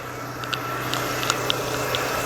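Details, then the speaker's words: Renault Clio that stalled suddenly while driving, after replacing the engine control module: even steady idle with a low hum and light ticking, no misses or stumbles; engine running smoothly. "Aí, motor funcionando redondinho, bonitinho."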